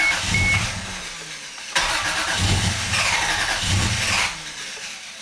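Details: Repeated bursts of starter cranking with pauses, engine never catches; cranks but won't start, suspected due to no AFM (cause not confirmed).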